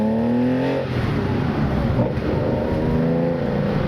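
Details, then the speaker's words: 1971 Porsche 911 on a pre-purchase test drive, good oil pressure, temperature staying cool, tach not working: deep strong exhaust note climbing cleanly under hard acceleration with no knocks or misses; engine healthy and pulls hard. "Pulls pretty hard. I think the thing runs a lot better than Brian thought."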